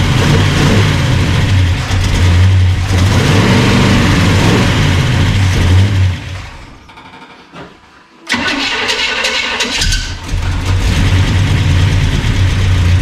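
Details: Burned-up rat rod "Doje'llac" V8 with freshly done carburetors; firm idle rumble, dies briefly, refires and settles into strong even lope; normal running.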